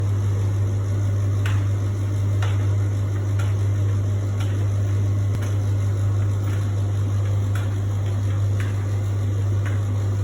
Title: Beko making strange noise